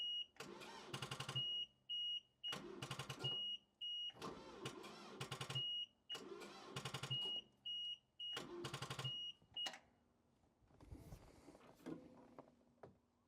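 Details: Power Trac PT 1850 diesel mower/tractor, after switching off PTO and lights: repeated slow, heavy, dragging cranks under a warning beep, never fires; cables heating up, owner unsure what is dragging, later finds a forgotten wire.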